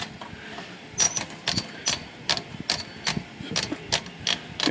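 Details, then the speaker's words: Dirty Royal Quiet De Luxe typewriter in for cleaning service: carriage clacks in uneven bursts, with thin high squeaks from the paper feed rollers that stop when the lever is lifted. "but oh it's got squeaky rollers up here i'm sure that's just the feed rollers here"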